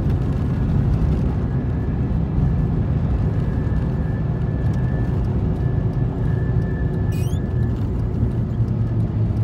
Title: Tacoma humming sound